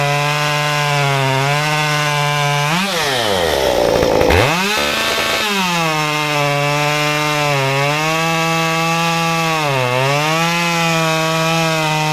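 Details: Stihl 193T climbing saw with muffler mod, ~8–9° timing advance, 93 non-E fuel, 16-inch bar, PS3 .050 full-chisel chain, cutting a log: high clean wail drops smoothly into the cut and recovers quickly; pulls strongly, healthy under load.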